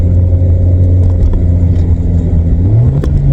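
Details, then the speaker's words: 1997 VW Vento (Mk3 Jetta) automatic after fluid drain and filter change, fluid level possibly off: engine drones, then flares in pitch without upshifting; now won't go into third without revving, worse than before. Cause not confirmed. "No. Won't even go in third now without revving."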